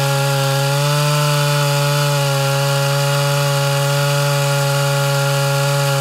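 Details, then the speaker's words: Mildly ported Homelite Super XL Auto chainsaw cutting firewood after leaning the carburetor; holds a high, steady scream through the cut with no four-stroking when pressure is released: high-speed mixture slightly too lean. "all right so that's just a touch leaner than i prefer uh it didn't go into four-stroking at all whenever i kind of released a little bit of pressure"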